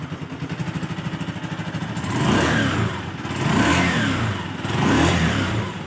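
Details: Honda TMX Alpha small single with a hard-starting problem putters at a quick idle, then picks up cleanly through three smooth revs and drops back each time without stumbling; normal start and revving.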